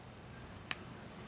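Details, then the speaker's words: Barudan embroidery machine Z-head, after replacing the thread guide finger and tightening its two screws: one sharp, clean click as the finger snaps back with very slight play; normal return. "Mon doigt conducteur revient bien, on entend, il claque. Et j'ai un très léger jeu."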